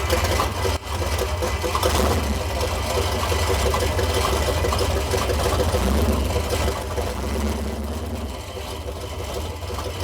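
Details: 1968 Dodge Coronet V8 four-speed, long-stored and just revived: heavy, lumpy idle with a loose metallic buzz; exhaust collector flanges vibrating against each other.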